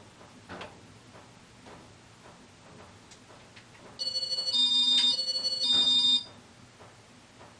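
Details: Faint dry ticks, about three per second, as a late-1990s Casablanca Panama 5-blade ceiling fan coasts down, with a brief electronic chirp. Worn motor bearings are still noisy after oiling, so new bearings are planned. The fan also wobbles slightly.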